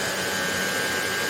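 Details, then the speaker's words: Hoover HL500PT vacuum after fix: steady high motor whine with constant airflow rush, no grinding or stalling; brush roll and motor running properly. "that so that shows it's working it's good to go"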